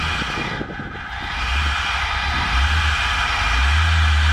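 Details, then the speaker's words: 1988 BMW 325i E30, M20B25 engine, first start after sitting 6 years, gas poured into intake behind throttle body, tank gauge empty: cranks, then catches into an uneven, rising lean rumble, a little smoky; brief run, owner thinks it just needs gas. "It did run. So that's impressive. I think it just needs some gas in the tank."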